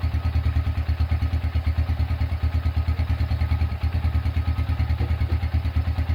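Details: Restored Honda Tiger single-cylinder engine, first start after rebuild with repaired exhaust bolt: steady, even idle thump about three beats a second, no clatter or skipping; idles smooth as hoped.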